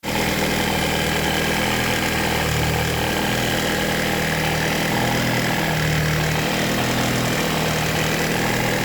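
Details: Car engine at idle: a steady note with a low hum that swells and fades every few seconds; abnormal engine noise, cause unclear.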